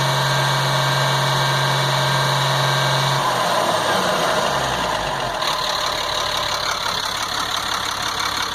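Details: 1998 GMC C8500, Caterpillar 3116E diesel, after injector O-ring replacement, valve cover off, following revs to 3500–4000 rpm; steady even idle with smooth low rumble, no miss, flutter or stumble; engine healthy.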